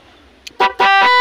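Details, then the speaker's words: NHAY 3+ music horn wired with a relay on a motorcycle: bright multi-note melody in short blasts on pattern number 3, with the relay working; the horn sounds normal. "Number 3 yan. Tapos sa number 4 na tayo. Ito na yata yung sikat na tunog ngayon sa mga tracking."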